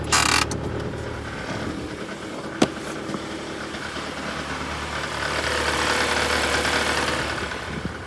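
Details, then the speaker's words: 2011 Honda Civic, cold start after sitting overnight, in Drive: light, uneven tapping of about three to four per second that sounds internal. It was traced to a wiggling, loose belt-drive tensioner rather than the timing chain or flex plate. "all right definitely a bad sound you know I was um I was hopeful as I was digging through that I would find like a loose heat shield or something like that but I did not what I did find was that the tensioner for the belt drive was kind of wiggling as I was snooping around"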